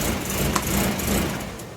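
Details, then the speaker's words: Volvo 945 idling unevenly with mass airflow sensor unplugged; owner notes it tends to stall; thumping idle sags and falters until the engine dies; rough idle before stalling. "tends to stall out here too um so we'll see what happens right here"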